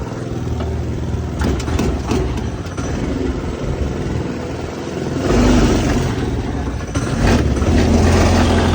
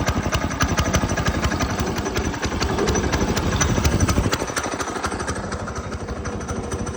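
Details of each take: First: Go-kart small engine just fitted with a new 30mm carburetor: surges and sags instead of holding a steady note, pulling unevenly under throttle; rough uneven running, traced to something plugged that needs tuning. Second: Go-kart small single-cylinder engine just fitted with a new 30mm carburetor: thumps along steadily at about three firings a second with no misses or stumbles, with much more power; clean normal running.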